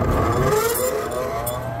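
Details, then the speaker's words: Exhaust fan motor (230 V, 4.2 A rated) spins up with a rising tone and coarse, uneven hum; sounds rough, motor bearings going bad and needing grease, suspected overheating and single phasing. "yeah that motor sounds like crap it's got bearings going bad in the motor and those bearings over there need to be greased for sure yeah that thing is rough sounding"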